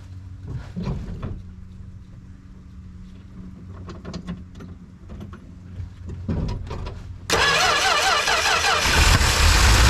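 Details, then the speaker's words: 1974 Plymouth Duster slant six with 904 transmission, sitting since 1987, fuel squirted in: quiet clunks, then the engine catches abruptly into a strong, steady fast idle, firing cleanly, no major leaks; radiator suspected holed, likely no coolant. "oh man you can't beat that oh that thing took right off not seeing any crazy leaks or anything"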